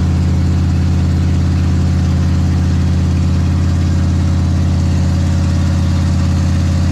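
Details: Big block Ford 460 in a 1956 F-100 on open headers with no mufflers, settling in after cam break-in; deep, steady, lumpy idle with even firing, no knocks or misses; normal idle.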